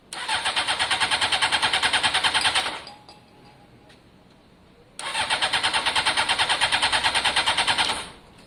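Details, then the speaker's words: Honda CBR600 F4i, fuel-injected, non-runner, crash-damaged seven or eight years ago: rapid even firing for a couple of seconds, dies, then catches briefly again on spray. It fires only on starting spray; fuel isn't reaching the engine. "i think we know we've got an engine here that's okay but until we can clear out out all of the fuel lines and make sure fuel's flowing there really is nothing we can do you heard it start there on the spray alone"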